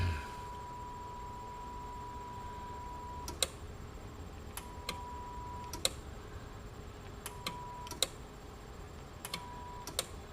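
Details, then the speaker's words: CB/ham tube amplifier, possibly for a Browning Golden Eagle Mark III setup: sharp paired relay clicks every two seconds or so with a steady tone between; confirmed antenna and radio leads plugged in backwards, antenna belongs left, radio right. "i read the back of the case in the corner in the case i heard i just i just put them in backwards well that was a good guess golly yeah antenna on the left and ready on the right how did i do that"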